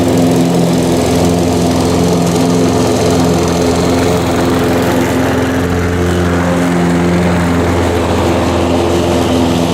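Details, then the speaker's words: Harbor Freight 173cc lawnmower engine with oil changed 2–3 weeks earlier: smooth, even drone at steady lowered speed, no knocks or surging; normal running, slight oil burn at startup attributed to being tipped in transport. "I really like this engine. I haven't had any issues with it."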